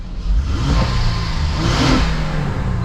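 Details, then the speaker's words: 2011 Honda Pilot petrol engine after replacing belt tensioner and belt: a couple of light revs then settled idle, no chirp or screech from the belt. "here's going to be the real test starting it up letting it run and making sure the chirping went away so far so good"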